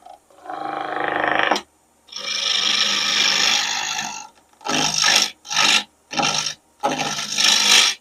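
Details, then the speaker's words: Lathe at 1588 rpm turning a bone-dry pecan blank with a 3/4 inch spindle roughing gouge: rasping cuts in bursts with rough uneven chatter, the gouge knocking on high spots because the blank is not yet round. "That sound, that knocking sound tells me I'm not to round yet."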